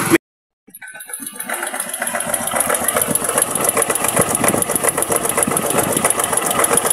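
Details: Keeway CR152 single-cylinder motorcycle after connecting rod/crankshaft and clutch housing rubber damper replacement: brief silence, then it starts and settles into an even idle with no knocking; the earlier tak-tak-tak engine noise is gone.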